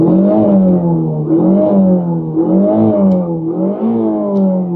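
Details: 1990 Toyota Corolla 4WD estate, barn find parked 16 years: engine blips up and drops back cleanly in repeated smooth rises, revving freely with no hesitation or knocking.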